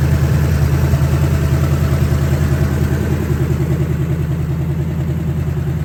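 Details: 1970 Ford Falcon with a budget-rebuilt 5.0 and AOD, idling cold after its first start on open shorty headers: a deep, loud idle with even, lumpy exhaust pulses. Oil pressure is about 70–80. No knocks, ticks or rattles; a healthy-running V8.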